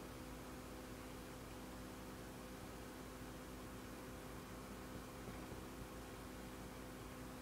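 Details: Dell Latitude D610 laptop: quiet steady fan hum with a few faint fixed tones; fan runs but laptop won't boot, cause unknown.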